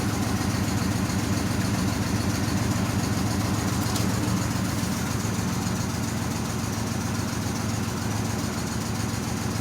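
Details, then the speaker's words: 1997 Pontiac Grand Prix GTP coupe, loud rough idle with an uneven low pulse and occasional stumbles. It is still misfiring and shaking a little, with a cooling problem. "car's still misfiring it's not getting any better i mean it does run seems like it's running pretty good right now it is shaking a little bit not much"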